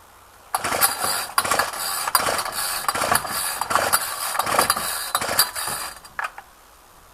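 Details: Ryobi string trimmer cold start after two weeks unrun, 8-9 degrees, choked and primed ten times: repeated pull-cord rasps about once a second with a brief sputter that dies; hard cold starting, needed carb adjustment.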